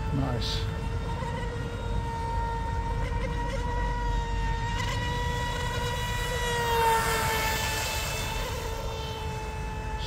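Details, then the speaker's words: DIY RC Mini Mono boat, 3S fresh LiPo, detuned CNC aluminium 436 three-blade prop, running fast and stable through its own wake: steady high whine with clean overtones, smooth and unstrained; normal high-speed run. "pretty [Music] stable even when it's running through its own wake"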